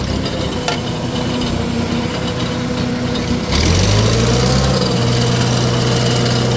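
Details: 1948 Farmall C tractor, former parade tractor, on a dyno, being warmed up again: revs up from low idle with raspy puffing about four a second; owner says cracked exhaust manifold, previously JB-welded.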